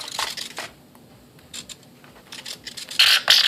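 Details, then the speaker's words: E-flite P-51D BL UMX RC plane: short raspy buzzing bursts each time the servo drives, scraping harder near the end of travel; elevator linkage binds, pushed by the closed hatch. "Oh yeah, something's hitting. So I got to figure out where it's hitting, or why it's hitting, or how it's hitting."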